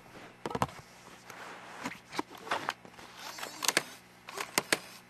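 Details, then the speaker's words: Dell Studio 1555 laptop (Intel Core 2 Duo 2.2 GHz) optical drive loading a disc, recorded up close: sharp clacks and short whirring bursts as the disc is drawn in and spun up; sounds broken but loads normally. "It sounds like somebody's like smashing the disc when you put it in. And then once it loads, it doesn't sound great either."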